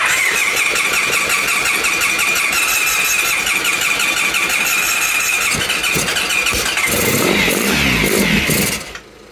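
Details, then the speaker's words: 1997 Honda Pan European ST1100 ABS, long neglected, start attempt on starting fluid with plugs in: starter whines, engine fires unevenly for a few seconds then cuts out with smoke; no knocking, oil pressure light went out. "go I think we'll call that a start time to stop torturing the electrics but it's good the engine doesn't sound knocky the oil pressure light went out"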